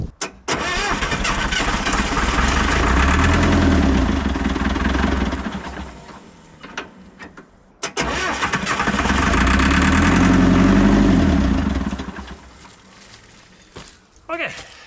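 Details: International 125E power-shift track loader diesel, parked about 10 years, first start with towel ready at open intake: cranks, catches on starting fluid, runs rough a few seconds, dies, fires again.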